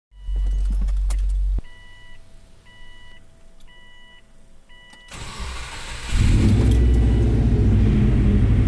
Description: My STi-swapped 2004 Forester has developed an exhaust leak from having no hangers on the back half of the exhaust, and the cat cracked.